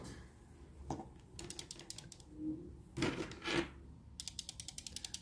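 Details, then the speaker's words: SteelSeries Rival 3 wired mouse after reassembly: sharp light plastic clicks in quick runs when the body is shaken, something loose inside; owner suspects a removed part had held it firmly, while the new mouse stays silent. "bak bir ses geliyor sadece o da nereden geliyor şuradan mı geliyor Belki de bu parça onu o yerinde daha sağlam tutuyordu"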